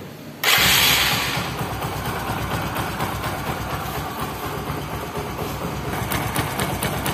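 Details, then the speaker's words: Bajaj Discover (110/100/125) motorcycle engine held at rpm: busy idle with light, fast 'thak thak' ticking on top; source unconfirmed. "Bikers দেখুন, এখান থেকে একটা থ্যাক থ্যাক থ্যাক থ্যাক একটা sound আসতেছে।"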